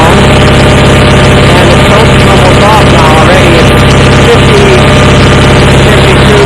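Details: Approx. 1976 Sears GT18 garden tractor (a commenter says 1978–79), Onan 18 HP twin, at about 54°F with choke off, after carburetor cleaning and fuel pump rebuild. It previously ran rough; now a loud, distorted but steady low drone with no stumbling or surging, normal running.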